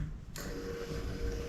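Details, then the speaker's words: Yamaha YFZ450R XC race quad after rebuild with break-in oil, key on after oil-priming cranks: faint steady electric hum starting suddenly at even pitch; normal fuel pump priming. "okay now we will plug our fuel pump back in"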